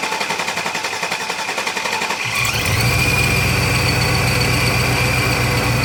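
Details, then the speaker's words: Silverado/Sierra 2500, LQ4 6.0 V8 with 4L80, custom-bracketed ProCharger P600B supercharger, 45 lb injectors, about 550–600 hp: brief cranking catches into steady even idle, deep rumble with faint high whine; runs cleanly. "so i'll have more videos of this truck but i'll crank it up just so you can hear it idling and stuff"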